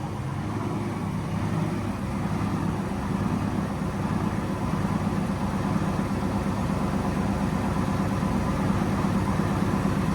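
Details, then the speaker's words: Drift car after tightening three loose spark plugs to cure a slight misfire, solid-mounted engine: steady petrol idle, even exhaust pulse, no stumble, more crisp; shakes from the solid mounts but sounds smooth. Oil pressure seems high. "shaking a bit yeah it's more crisp now I don't know it's called solid mounted looks like it's shaking a bit but it sounds smooth"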